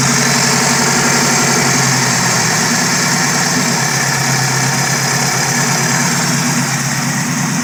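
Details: Chevette fitted with Keihin CV motorcycle carbs, after reseating parts to fix vacuum leaks; dead cold start idle, steady with slight wobble, no misses or surging, close to target: normal idle.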